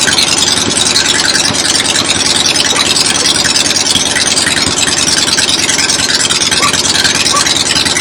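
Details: 1975 Harley XLH Ironhead Sportster V-twin, fresh rebuild, first start outdoors on a temporary lawnmower gas tank: steady idle under heavy hiss-like background noise, no knock or misfire; oil return established, oil pump working, normal idle.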